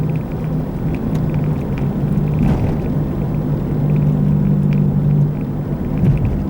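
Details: Driving road test: steady low droning hum with faint road noise on top, constant over the run; how a bad wheel bearing sounds while driving.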